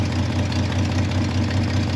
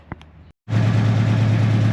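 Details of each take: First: C30 truck engine just fired up, with an existing exhaust manifold leak: a low, steady V8 idle with a quick rhythmic puffing tick over the rumble. Exhaust leak. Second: C30 V8 running with cooling set up after the exhaust manifold leak update: it catches after a short silence and settles into a steady, even lope with no knocks or misses; a little water spits off the fan; finding: normal idle.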